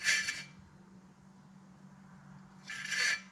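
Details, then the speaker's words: 2015 Mitsubishi Lancer, bare wheel hub turned by hand: dry rasping scrapes on one side; owner suspects wheel bearing, possibly rotor, bearing to be swapped first; grinding when hub spun. "So it's grinding right there somewhere, right on this side. So I'm gonna check the bearing, swap it out."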